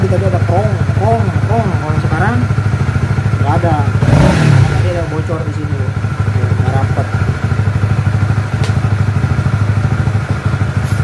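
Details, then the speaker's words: Honda CBR150R facelift single-cylinder at idle after the air filter was replaced and its cover seated properly; when loose, the cover leaked and roared. Steady, even firing pulses with no rattle or buzz from the intake; normal idle. "Oke. Suaranya berbeda dari sebelumnya. Saat dipasang seperti ini."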